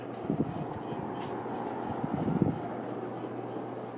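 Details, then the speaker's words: 52-inch Emerson Monterey ceiling fan on high speed after cleaning, bearing service and blade repair: steady hum with two short bursts of loose rattling that then stops; owner suspects the top canopy vibrating. "Let's go to high speed. Oh, now what is that noise? Actually, could be the top canopy up there."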